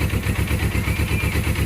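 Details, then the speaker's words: Suzuki GS500 with no oil, after fixing starter slipping on the gear: even steady low putter at idle, regular firing, no knocking or rattling; earlier noise gone, normal idle. "vamos ver se deu bom Opa Eita que acabou o barulho"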